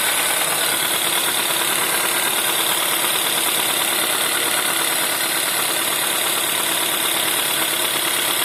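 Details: Cold-start knock on a 1.4 TSI CAVD engine: harsh, rapid metallic rattle, about three knocks a second, over the cold idle with little low-end rumble; cause undetermined.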